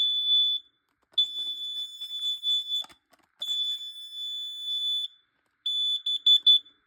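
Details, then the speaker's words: Carbon monoxide/gas detector alarming to smoke test spray on a repeat, covered try: loud shrill tone in long bursts with brief gaps, chirping at the end. Afterward its display read 250. "That way, yeah, so if you actually have your smoke spray and you see this detector, test it with the smoke spray. It actually works. Actually 100% real works."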